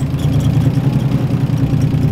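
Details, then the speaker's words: Drift car with a turbo due for replacement; low, lumpy idle with an uneven pulsing beat and no steady rhythm, sounds terrible, cause not yet known: rough idle. "horrible that sounds absolutely terrible"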